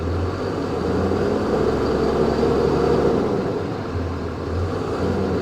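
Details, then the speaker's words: 2005 Dodge Ram 3500 dually Cummins diesel, manual, idling with no battery fitted, alternator at 14 volts: lumpy, uneven clatter about four pulses a second; feels like it's down a cylinder, suspected not confirmed. Rough idle. "It definitely feels a little rough. You can almost hear it, can't you?"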